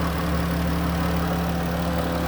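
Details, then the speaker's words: 2013 Dodge Grand Caravan SE wheelchair van, 3.6 V6, 166k miles, hood open; smooth steady low idle hum with no knocks, misses or rattles: normal idle. "underneath the hood has a 3.6 v6 engine it idles smoothly everything sounds good"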